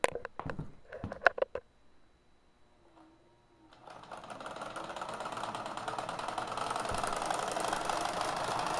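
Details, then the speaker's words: Kenmore Sears sewing machine repowered with a 3/4 hp motor, run past factory RPM after seizing once: handling clicks, then a fast rattly clatter climbing with speed; the bearing cap is now loose and knocking. "So now that bearing cap is actually loose, which should add to the fun."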